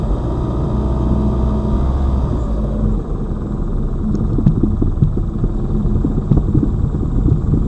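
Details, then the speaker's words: Lada Vesta Cross, old original right front strut (only the left was replaced under warranty), dashcam aimed at the right strut mount, mount wrapped in rags to isolate the sound, driving over bumps: dull irregular thuds over road rumble; the strong knock remains. "здесь же вот эта правая получается стойка амортизатора она старая здесь же у меня был сильный звук этот и"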